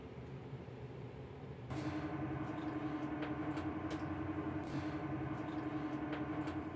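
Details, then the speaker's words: Dantherm HCV500 dual-flow ventilation unit after fan bearing replacement, spinning up to full speed: a steady, even hum with the earlier unbearable whistle gone. Bearings run quiet and healthy. "Donc là, ça prend pleine vitesse. Donc elle fait plus son sifflement, qui était insupportable."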